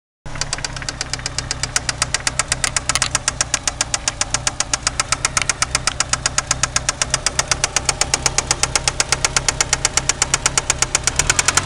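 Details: 1993 Eagle Talon turbo, stock 7-bolt engine, idling with a sharp steady knock about four a second; confirmed spun connecting rod bearing, play found between rod and crankshaft with the oil pan removed.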